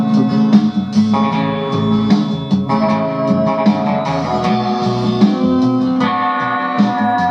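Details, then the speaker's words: Discrete power amplifier on ±35V rails, playing CD through a floor speaker with limited treble (probably cutting off around 10 kHz); clean guitar music at steady level, no hum, crackle or distortion; amplifier sounds healthy. "Ty that sounded actually all right apart from the fact that 59 speaker on the floor isn't exactly a full range speaker"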